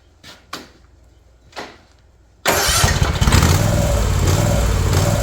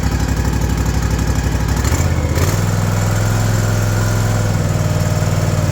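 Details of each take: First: New Ariens Ikon mower with a Kawasaki FR691V, 5 hours old, surging since new, before the carburetor is cleaned: cranking bursts, then it catches with idle speed wavering up and down; surging idle. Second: Ariens Ikon mower with a Kawasaki FR691V V-twin, 5 hours old, after the carburetor was pulled and cleared of sawdust-like debris and a new fuel filter was fitted: low, even throb holding steady without hunting; the surge is fixed, normal idle.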